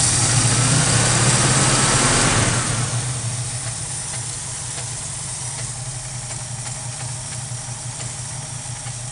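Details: '68 Mustang with a rebuilt 1968 Ford 302 V8 idling and revving with a constant stumbling miss from right off idle, a severe misfire traced to a bad distributor cap.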